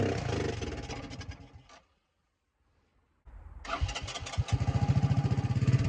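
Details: 1984 Honda ATC 200M three-wheeler barn find, revived after 30 years and parts replacement, needs fine tuning; single pops evenly, stops briefly, then picks up with steady quick firing climbing smoothly with throttle, runs clean.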